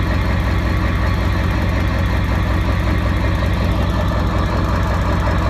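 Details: A 7.3 diesel with 238/100 injectors on the stock tune idles deep and lumpy instead of smooth.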